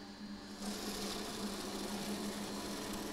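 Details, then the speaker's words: Variable-speed series and parallel pump bench-top test set deliberately driven into cavitation: a steady pump hum turns into a harsh, gravelly hiss and crackle; cavitation stresses the pumps and may shorten their life. "we wouldn't recommend doing this very often because it does put pressure on your pumps as Jack says yep cavitation done"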